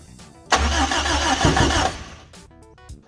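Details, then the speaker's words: Toyota KE10 Corolla first start attempt on carburettor, fuel hand-fed into the bowl: starter churns about 1.5 s, engine catches briefly with a pop then dies. Small backfire; ignition timing possibly set to the wrong of two marks, so no start. "I think that may have been a little backfire at the back so I'll try and put some more fuel in and we'll give it another go"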